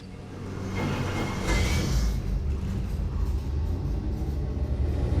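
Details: Rebuilt junkyard Gen 3 Hemi V8, stock short block and heads with springs, cam and manifold change, Holley Terminator X, on the dyno (540.7 at 6600, 494.4 at 5200): deep, steady rumble, even beat, no knocks or ticks; normal running.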